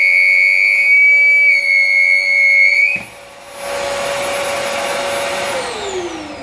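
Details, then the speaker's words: Rowenta Compact Power Cyclonic vacuum cleaner: piercing steady high whistle over the motor hum drops away abruptly when the filter is pressed down and sealed, leaving a smoother rush; an air leak past the filter, not the motor. "Evet şimdi bakın bastırdığım zaman ses kesildi"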